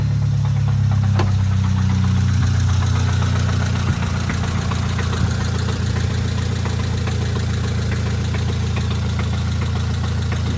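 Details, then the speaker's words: All-original customer car in for an engine rebuild: rough idle with a deep, uneven knock about three times a second under the engine drone; rod knock, engine to be pulled and rebuilt. "got a nod rocking a rod knocking with a nod rocking oh yeah she's knocking"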